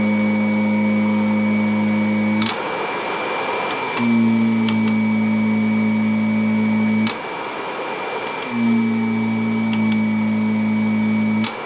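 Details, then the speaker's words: Kirby vacuum (Avalir 2) switched on and head lowered one click until the tone changes: steady motor hum that dips under load each time the head drops onto carpet, then recovers; brush roll spinning normally. "so we'll turn it on and we'll lower it down and it's just one click after the tone changes"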